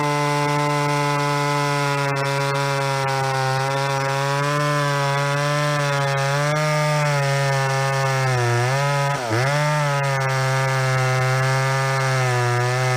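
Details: Stock ProMac 10-10 chainsaw, tuned, cutting a big fir log: strong steady high howl sagging briefly as the chain bites, then pulling back up; normal cutting under load.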